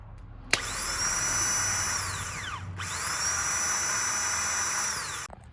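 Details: Bosch starter from another car of similar vintage, plugged in for comparison with the turbo 4-cylinder Volvo drift car's own starter. Two clean spin-ups, each a smooth whir rising to a steady high whine then winding down, with no grinding or clatter. A healthy starter.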